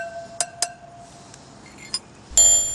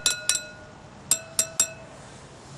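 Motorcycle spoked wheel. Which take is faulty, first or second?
first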